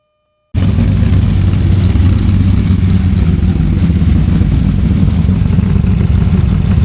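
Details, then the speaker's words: Freshly built small-block Ford V8 on a DIY engine run stand for break-in, before a planned fuel injection swap: deep, even burble at steady speed with a regular beat and no knocks or ticks; normal healthy running. "I'm just going to add right on the end here um a very short video of the engine running on the stand so you can hear what it sounds"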